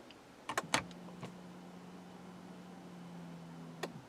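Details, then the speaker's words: 2006 BMW 325i no-crank, no-start: with brake pressed, fuel pump runs and brake signal present, but pressing start gives only a few clicks and a steady low hum, no cranking; fault inside the starter solenoid. "We have the signal from the brake, and when I try to start, hear nothing, the starter solenoid problem inside the solenoid"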